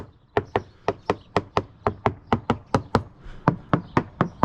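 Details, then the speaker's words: Hammer-tapping the coach top of a free Halcyon 23 fiberglass sailboat, believed solid glass: about four crisp, sharp taps per second, each ringing bright with no dull thud; solid deck. "I'm gonna go walk this side deck now, digging my heels in. Paying special attention to around fittings. Nothing squishy at all. No clicking, no delamination."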